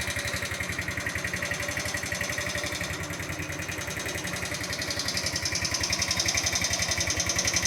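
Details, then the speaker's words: Chinese GY6 125cc scooter after engine rebuild with new cylinder head; sharp, regular ticking about four per second over idle, rising with revs; top-end tappet noise. "So it's the next day. I'm a bit concerned about how noisy the top end sounds on this. I'm assuming it's the top end, so I'm going to pop the rocker cover off and check the valve clearances just to make sure that everything's where it's supposed to be."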